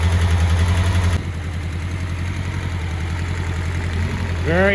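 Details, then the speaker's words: 1984 Honda CBX750 after engine rebuild and reinstall, first run on hot start: catches, one blip, settles to even steady idle; runs cleanly, idle perhaps a bit high, some oil residue burning off. "happy she's running quite [Music] nicely not too bad not too bad probably use the idle knocking down a little bit"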